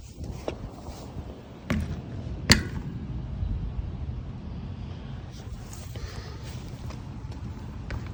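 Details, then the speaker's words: RockShox Pike fork on a 2020 Canyon Spectral AL mountain bike: three sharp, isolated pops over rolling noise as the front end loads, a clicking knock from the fork area. Cause unconfirmed; the frame was also suggested for inspection. "Just in the early part of the video, played some popping sounds that I've been experiencing with this bike."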